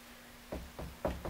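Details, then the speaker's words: C3 Corvette rear wheel bearing checked by rocking the rotor by hand in a quiet shop, passenger side: four dull clunks, about four a second, from play at the spindle; the worn bearing is on its way out and should be replaced. "that the noise you hear you don't want to hear that noise so this one probably wouldn't you know you'd probably use it for a little bit but it is on its way out and it probably should be replaced"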